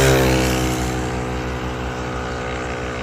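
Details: Honda Trail 125 (CT125) rebuilt with a 164cc big bore piston and cylinder and a bigger fuel injector, idling to warm up before break-in: steady, even single-cylinder idle, no knocks or ticks; normal.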